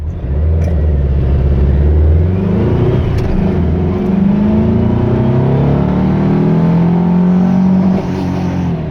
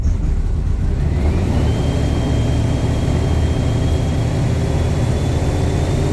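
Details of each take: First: Vehicle with Pulse Jet Ignition spark plug adapters, timing set to 26 degrees at wide open throttle, about 115–116 hp: strong even full-throttle pull with pitch climbing smoothly, no misses or knocks; healthy. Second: basically uh it runs like [ __ ] like literally [ __ ] uh it sounds the engine sounds different it sounds like woy woy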